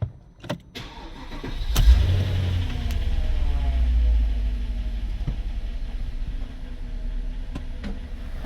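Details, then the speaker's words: Porsche Cayenne started after replacing both fuel pumps (one was making only about 1.2 bar), wiring harness repairs and a new engine speed sensor: brief crank, catches at once and settles into a steady idle with slight top-end knocking, normal for older Cayennes. Normal start. "Car starts. Little bit of knocking noise. Top end. It's normal on the older Cayenne."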